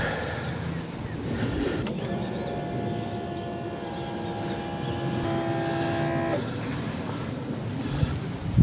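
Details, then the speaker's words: 1974 BMW 520, manual with carbs and points, whose starter won't work from the key: starter triggered by a wire on the solenoid terminal gives a steady whir for about four seconds; motor works, key circuit suspect, cause unconfirmed. "so if we turn it on let's see if we can start it manually operating the the starter in that way"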